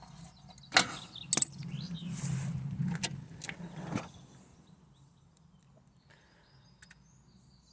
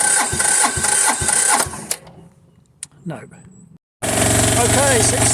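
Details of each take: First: Diesel machine reported for lack of power, diagnosed on site: after bleeding fuel at the pump inlet with the decompression lever pulled, it cranks, catches, runs a few seconds, then dies from fuel starvation. The fix was turning the fuel tap back on. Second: Diesel machine reported for lack of power: after bleeding the fuel system (no fuel at the pump's top inlet, cracked open) and using the decompression lever, it cranks, goes quiet, then fires and holds a steady, even idle knock; fixed.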